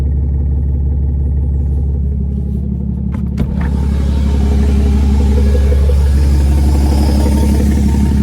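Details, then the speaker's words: 2016 Ram 2500 6.7L Cummins, mildly tuned, full delete, after Pedal Commander PC31 caused check engine/throttle light, black smoke and power loss: heavy diesel drone much louder under the hood with exhaust brake on, as if struggling; cause unknown. "It's never been that loud under there. So I'm gonna shut off the exhaust brake."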